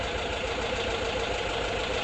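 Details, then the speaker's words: 1979 Volkswagen Bus rebuilt flat-four, first start after rebuild, untuned, hydraulic lifters still pumping up: steady even engine note with no knocks or misses; normal running. "Sounds good, right? Running. Didn't even tune it yet."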